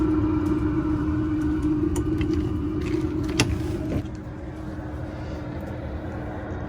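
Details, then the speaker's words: 5 kW diesel heater run at its full setting, heard close to a camping trailer: a steady fan roar with a constant mid-pitched hum and even combustion rumble. Normal running at full output. "i'm sitting close to the trailer and the diesel heater is working i have not turned it down that's because we've cranked it right up"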